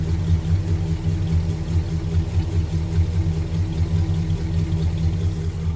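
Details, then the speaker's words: 1974 Pontiac Grand Am sedan, original 400 V8 with only a rebuilt carburetor, heard at the engine compartment: deep, even idle rumble, steady beat, no knocks or misses; healthy engine. "Go ahead and start it up for you. You could hear it. Sounds like a nice, healthy engine."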